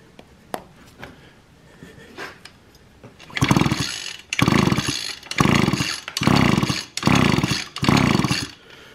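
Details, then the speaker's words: Echo string trimmer that won't start after sitting all winter, plug removed to check spark: five recoil pulls, never catches; no spark, coil or magneto suspected. "see you absolutely no spark at all so now we got to go to our magneto which is down in here and our coil if we don't have any spark here probably either our coil is bad or our make neither needs cleaned"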